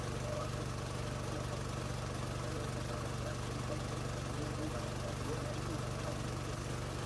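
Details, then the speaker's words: New gas-powered MaxAir air compressor running under load while filling the tank, then cycling down to idle at 150 PSI: steady low engine drone with even pulse, no knocks or rattles; healthy. "Here in a second, you'll hear it cycle down. You just saw it cycle down there, so it's idling now because it's at the 150 mark of PSI there, as you can see there in the camera there."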